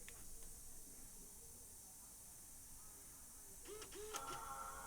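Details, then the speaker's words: Mac Mini powered on with a non-original power cord before hard drive swap: quiet room hum then a clear sustained power-on chime, the normal boot sound; fan then runs at full speed, probably about 5,800 rpm versus its normal 1,800 rpm idle. "there's the boot noise."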